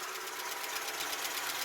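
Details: Ford Capri XR2 (turbo) after head gasket job, warming at idle: quick, light, even ticking (~8/s) from valve train; likely dry top end until oiled, owner not concerned.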